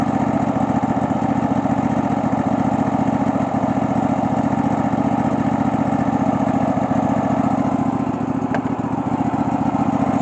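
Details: Cub Cadet LX46 XT2 mower, Chinese 679 fuel-injected V-twin, running after bypassing faulty start/stop module that grounded the kill wire: steady, even thrum near 220 pulses a minute, no misses or knocks; normal running.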